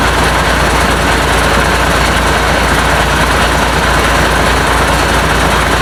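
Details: International DT466 diesel being fitted to a 1966 Ford F250, first start after priming fuel, steady idle with no muffler: loud, even, rough-edged clatter, no knocks; runs well, oil pressure not yet gauged; normal idle.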